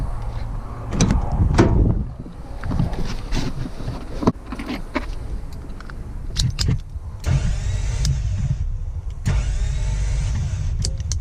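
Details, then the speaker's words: Toyota FJ62 Land Cruiser, about 296,000 miles, sat for a decade, compression test on cylinder 6: starter spins fast and even with no puffing or rise and fall in speed, freewheeling; 0 psi, no compression. "Freewheeling. Well, there you have it. 0 PSI on cylinder number 6 as well."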